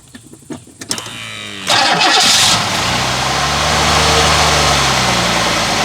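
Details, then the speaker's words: Cadillac with early throttle-body fuel injection, first start after replacing spark plugs: starter cranks briefly, engine catches cleanly and settles into a steady, even idle with no misfire or knocking; sounds healthy. "Now, I don't know about you, but that sounds pretty dang good to me."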